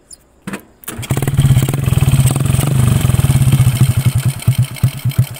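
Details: Honda Karisma after piston replacement and valve setting (previously white smoke and rough piston noise): catches after a brief crank and settles into a steady, even single-cylinder putt at idle, no knocks or rattles; normal start and idle.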